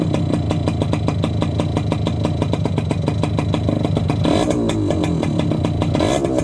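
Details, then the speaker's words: Yamaha YB100 two-stroke on its old standard exhaust, rusted-through holed downpipe, before replacement, a couple of quick revs: harsh, rattly crackle that blares on the revs; the exhaust is far too loud. "I'm gonna start the bike up give it a couple quick revs so you can have a noise comparison you're not going to be able to tell how loud it is through a video"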